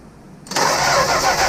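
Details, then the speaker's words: 1965 Plymouth Barracuda that sat for years, electronic ignition: engine spins steadily at cranking speed but never fires; no spark, odd ignition wiring suspected, may need another distributor or a return to points. "that is weird I don't know how they got this car wired up they got it they got it wired up some kind of way man"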